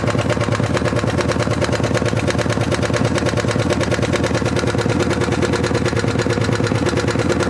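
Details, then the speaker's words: 1975 Harley-Davidson FLH Shovelhead, long-sitting, noise from back rocker box: fast, even ticking at about three clicks a second over a lumpy idle, valve clatter from the back cylinder intake hydraulic lifter not staying pumped up, leaving pushrod slack. "What I discovered was that the intake lifter on the back cylinder wasn't staying pumped up and so it was letting a ton of slack get in the push rod."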